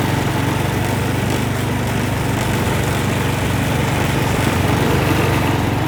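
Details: Massey Ferguson 7 lawn mower, long-sitting, now running, driving off to look for tall grass; owner thinks it needs piston rings: steady single-cylinder thumping about four beats a second under load, no misses; normal running.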